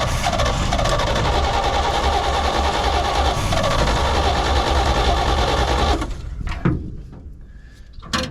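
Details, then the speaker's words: 1972 C20 pickup V8, stored 20+ years, running on its own: loud and uneven, sags and nearly dies when the throttle is opened. Owner suspects a dead accelerator pump and that the carburetor needs work. "well i bet that accelerator pump is probably kapoot's might need a little carburetor work but it will run"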